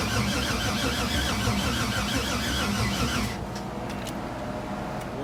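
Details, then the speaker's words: LS6-labelled 6.0 LS swap with 80 lb injectors and newly fitted fuel pressure regulator, car long sat: starter churns unevenly about three seconds, then stops, engine never catches; cranks but won't start, owner suspects uncharged battery. "so i think i found my problem i think my problem is the battery because since the car was sitting for so long i haven't charged the battery"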